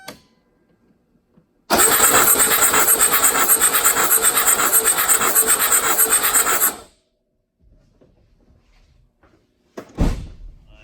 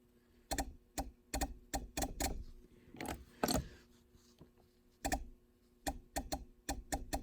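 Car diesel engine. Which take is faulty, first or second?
first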